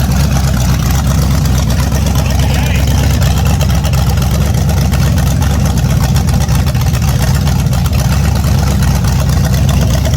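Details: A naturally aspirated 010 350 Chev small-block V8, carbureted, running on an engine stand for an early-70s HQ sedan rebuild. Loud, even, deep rumble with no knocks, misses or rattles; normal running, sounds tough.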